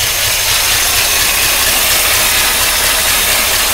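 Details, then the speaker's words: 1953 Oldsmobile Rocket Super 88 barn-find V8 at cold idle through makeshift muffler: loud rattly idle with fast light valvetrain chatter on top, expected to quiet down once warm. "water club probably needs a place the noise coming from the valvetrain but I'm not really worried about that I think that will quiet down as we get some heat"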